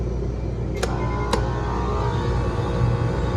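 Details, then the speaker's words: Electro Freeze remote-condenser soft-serve machine, newly wired three-phase: compressor starts on freeze with a rough heavy low drone and sharp clicks; beater spins counterclockwise, confirming wrong phasing; fix is swapping any two power legs. "You hear that compressor? That is phased wrong, I guarantee you."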